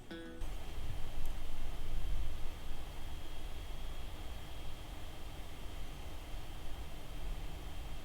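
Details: Dell XPS 15 9510 (2021) laptop running Geekbench: soft fan hiss with a thin, steady high-pitched whistle/squeak under load, quieter than the 2020 XPS but still present.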